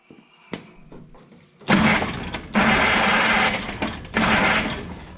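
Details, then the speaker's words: Old engine with points ignition, cold damp conditions: three bursts of steady cranking with spark at the plug but no firing; fuel delivery suspected, timing being adjusted; points previously found shorted. "well we got fired we got fired to the plug if we get some fuel to it it might run I don't know if I'm getting any fuel I don't hear it"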